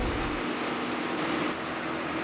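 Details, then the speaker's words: Wrecked supercar right after connecting a new battery and refilling coolant, engine not running: steady mid-pitched electrical buzz and hiss on power-up; cause unknown, car later would not start, stuck in a limp mode. "I'm not sure why it's making that noise as soon as it got power it started buzzing and making all this noise"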